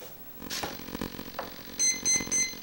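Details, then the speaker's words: Foamboard R/C Cessna Skymaster twin, powered on 12 V with no props fitted and the controller switched on: power-up chirp then three short high beeps as the brushless speed controllers arm normally, with slight servo buzz. "Sounds like everything's on. Everything looks good. A little bit of servo buzz, whatever."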